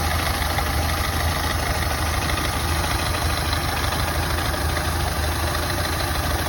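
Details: Ford Model A engine at low idle, slightly uneven, lumpy beat with no clean rhythm: misfiring at idle, cause still unknown.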